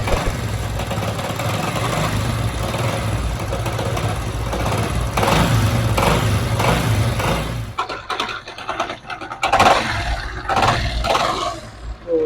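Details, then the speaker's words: 70cc Honda CD70-type motorcycle at idle; uneven metallic rattle over a choppy idle until shutdown, sounds like something loose inside; a loose nut inside the engine, not the rod as a mechanic claimed. "आप देख सकते हैं ऐसे ग रहा है जैसे engine से कोई चीज खुला के बाहर ए जाए"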